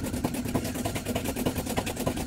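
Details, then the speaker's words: LG 8.5 kg top-loading washing machine, older unit, during spin: heavy fast thumping rumble about seven beats a second as the inner tub wobbles excessively on its shaft from a broken spider. "ak berputar di porosnya ya jadi goyang-goyangnya sudah keterlaluan gitu ya"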